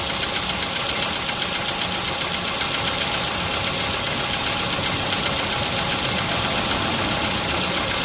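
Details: VW Polo sedan, 55,000 km, cold start at +4 °C: light, fairly regular tapping over a hissy, even idle; cold-start engine knock of unknown origin.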